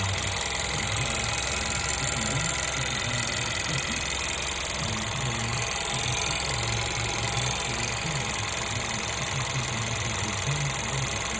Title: 1.2 TSI engine sound Timing chain noise?